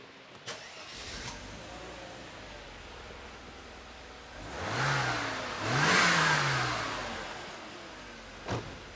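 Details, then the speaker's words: 1990 Mercedes 260E (W124) bought at auction, started despite a dead flat battery. Quiet idle with two clean blips that rise, fall and settle, with no knocks or misses; coolant warning light on and a coolant leak reported. Normal start and idle. "so it sounds fairly healthy the coolant lights on yep so I was told it had a coolant leak"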